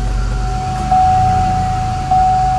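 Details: 2004 Chevy Impala LS with a no-crank fault, started after feeding positive back to the computer: a steady low rumble with a constant tone on top and no misses or knocks, idling normally, though a security fault is still suspected.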